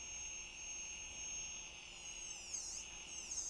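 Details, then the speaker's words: DJI Mavic brushless motor for a flashlight, run through a 1S 10 A speed controller and servo tester, replacing a noisy bushing-type brushed motor: steady speed with a clean, even high whine and no rattle; runs smoothly and quietly. "Cắm nó vào và lắng nghe xem nó hoạt động êm như thế nào."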